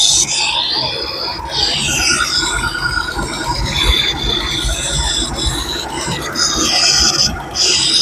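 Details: Daihatsu Cuore with a persistent noise that remained after new alternator and timing bearings and with the booster pipe removed: a high, wavering whine rises and fades over the running engine, traced to air-con pipes connected the wrong way round.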